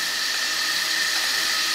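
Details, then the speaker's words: Restored Bendix MG-1 Central Air Data Computer, analog mechanical computer from early jet fighters, powered on the bench with pressure tubes connected; steady high-pitched whir of small gears spinning smoothly, no knocks, gear train running normally. "Oh, yeah! Things are spinning in there, although it's hard to see. You hear it more than you see it."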